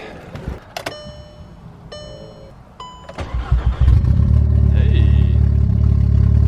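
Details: Built MK6 Golf R first start after fitting a new lightweight 15 lb AGM battery: a few chimes, then a short crank that catches cleanly into a strong, steady idle. It is a healthy start.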